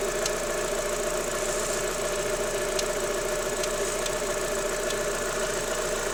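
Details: Daewoo Lanos 1.6 16V: steady idle with a light, sharp tapping at uneven intervals, which went away when the timing belt and rollers were wetted with water; the knock stopped after replacing the timing belt and rollers.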